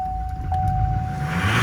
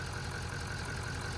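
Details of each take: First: LML Duramax diesel restarting, brake cleaner sprayed as starting fluid: after cranking it catches and revs climb sharply on their own, nearly running away; diesel smelt in engine bay. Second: LML Duramax diesel after fuel filter housing replacement, running after a brake-cleaner-assisted start: steady, even idle with a low thrum, no knocks or stumbles; repair worked, running normally.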